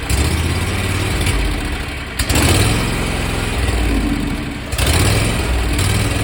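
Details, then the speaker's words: 27 hp Kawasaki zero-turn mower engine cranked hot after use, on a relatively cool day: sputters unevenly in a slow irregular rhythm without catching. Owner suspects a sticking carburetor fuel shutoff solenoid starving it of fuel. "and then here is it starting when it's hot uh this actually wasn't actually a lot worse than this um this was a relatively cool day but um just to give you an idea what the symptom is"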